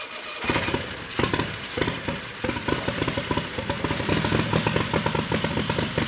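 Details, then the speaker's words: Harbor Freight Predator 670cc V-twin with Smart car turbo on methanol, newly fitted Polaris RZR 1000 CVT, fired up in the shop to check clearances: lumpy, popping fast idle with sharp crackles, steady and healthy; the lock collar needs adjusting afterward. "huh that sounds cool every time it never gets old"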